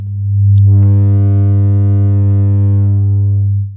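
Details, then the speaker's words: Intex home theater subwoofer, power cord just inserted, on AUX: loud steady beep/buzz tone while the woofer does not work, caused by a damaged amplifier IC (2030). "First చూస్తున్నారు కదా continuous గా beep sound అయితే వస్తుంది అంతే కానీ ఇంకా ఆ woofer అయితే వర్క్ అవ్వట్లేదు ఈ యొక్క ప్రాబ్లం ఏంటంటే ఐసి మనకు డామేజ్ అయిపోయినప్పుడు మాత్రమే మనకు ఈ యొక్క బీప్ సౌండ్ అయితే వస్తుంది"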